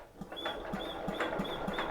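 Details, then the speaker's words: 1953 Economy Country Squire tractor, Briggs & Stratton engine abandoned 20 years, cranked on starter: slow cranking, about three to four strokes a second, each with a thin airy wheeze; a friend picked up on the wheeze, so the oil fill cap is checked next. "you hear that weezing so my buddy asked if there's an oil drain fill or an oil fill cap"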